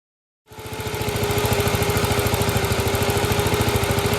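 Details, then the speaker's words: Gravely, old single-cylinder engine with governor, just after fitting a new carburetor float: fires up at once and holds a steady, even putter with no misses or surging; running normally. "Sounds good. Here we go. Yeah. Oh, don't stall it."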